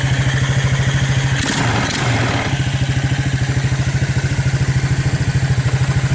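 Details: Abandoned Suzuki KingQuad 300 4x4 ATV after Mikuni to Keihin clone carb conversion, owner estimates about 1,500 hours/miles: quick, even thumps with a brief stir midway, no misfires or hunting; purrs right along, healthy idle.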